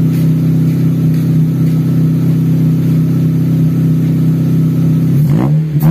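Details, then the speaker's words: Taruna EFI after tune-up and idle screw adjustment, no longer shaking: steady idle, then quick clean throttle blips rising crisply and dropping straight back, revs falling faster than before. Normal revving; AFR could still be leaner. "Coba liatin dulu suara knalpotnya jadi gimana? Lebih responsif nggak? Tuh. Respon yo. Suaranya, waduh."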